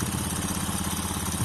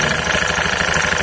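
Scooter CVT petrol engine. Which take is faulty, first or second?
second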